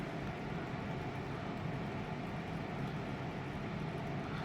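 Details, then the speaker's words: Haier 3-star split AC indoor unit, fan stepped down to the lowest speed: constant rushing air roar with a low hum that stays loud. Loud fan noise at low speed. "अब देखिए कितना आवाज करती है। कम ही नहीं हो रही है। पहले पॉइंट पर कर दीजिए।"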